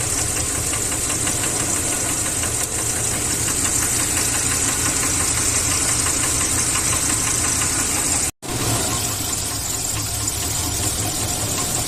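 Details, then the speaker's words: Vehicle engine blowing blue smoke from the exhaust, with a light, rapid knock over the steady run: piston slap, the pistons rocking in excessively worn cylinders; teardown confirmed the engine needs a rebuild. "eh tenía un pequeño ruido no en el motor no sé si han podido evidenciar en el momento de funcionamiento un pequeño golpeteo y eso ocasionaba estos pistones"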